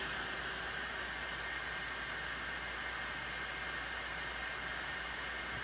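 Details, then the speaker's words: Anycubic Kobra 2 Max 3D printer after Noctua fan upgrade with 24V-to-12V step-down converter, running during calibration: soft, steady, even airy hiss, no rattle, whine or pulsing; much quieter than the original fan. "you can still hear how much quieter it is than what it was before"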